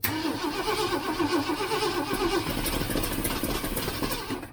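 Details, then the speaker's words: 1967 Ford Mustang 390 V8 after rebuild, timing being set, choke opened: ragged start and stumbling with sharp puffing and ticking from an exhaust leak where the heat riser was installed. "can hear I got an exhaust leak back where I put that heat riser in."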